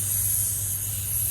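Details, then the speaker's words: Freightliner M2 106 truck shut off, brakes pumped down: steady high hiss over low hum from a leaking air brake line fitting, pitch changing when touched; reinserting the hose didn't help, fitting replaced. "you can hear as I'm touching it, the air sound, the leak is changing its pitch."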